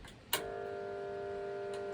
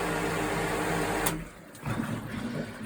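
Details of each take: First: Pool pump motor switched on before repair: switch click, then about 1.5 s steady electrical buzz with no run-up; won't start because the start capacitor failed, with heavy overheating. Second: Pool pump motor after cleaning and refitting a start capacitor, switched on: steady even hum, no buzzing, then clean cut-off; running normally again, though warm because the airflow flange wasn't yet refitted.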